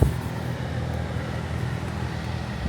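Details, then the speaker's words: 2014 Honda Odyssey after replacing blower motor and resistor, on full speed: steady, even low whoosh with no rattle, squeal or wobble, some leaves heard in it; normal blower operation. "Let's start it up and see if the fan works. I can be able to start it. I'll just hit the accessory. Yep, air's coming out."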